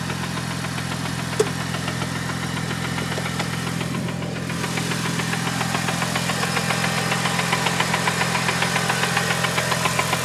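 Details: Mitsubishi Evo 8, just bought: a steady, quick knock of three or four beats a second over the idle. The previous owner said it is the clutch release bearing; unconfirmed.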